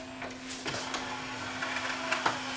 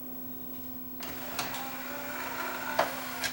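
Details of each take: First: Yamaha 5-disc CD changer, tray opened during playback: even motor hum with a few light mechanical clicks as the tray travels out smoothly; the loading mechanism sounds healthy. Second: Yamaha 5-disc CD changer: a steady low motor hum with light clicks runs about 10 seconds, but the tray won't open. A slipping, stuck loading belt is suspected; tray motor runs without loading the tray.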